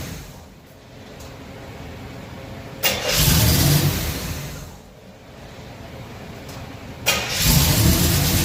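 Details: Chevy stored since 2010, restarted after new carb, fuel pump, plugs and wires: cranks and catches twice, then runs loud and uneven with a lumpy beat; rough running on the new carburetor, cause unknown.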